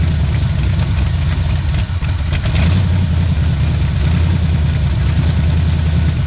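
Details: 1977 Pontiac Firebird V8 ex-drag car, abandoned about 36 years, first run after revival on a cold start, left idling to open the thermostat: deep, choppy, loping big-cam idle over a steady rumble that you can feel in your chest; it runs healthy.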